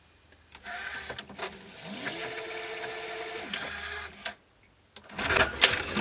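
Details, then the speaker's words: National NV850 VCR after belt kit fitted: small motor whirs up to a steady hum with faint clicking then stops; reel drive slipping, new idler a little slippy but not the cause, source unconfirmed. "it's a little slippy that idler but it's not the idler that's slipping something slipping there"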